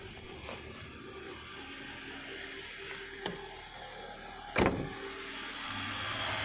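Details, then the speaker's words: 2006 Maruti Suzuki Swift petrol at warm idle, about 1600 rpm (should be 750), engine bay: AC compressor whines and drones loudly, run dry because refrigerant is too low, so AC isn't cooling; car poorly serviced, also has low power and a bad clutch. "AC is not cooling at all because the refrigerant is too low it's compressor run dry and became noisy"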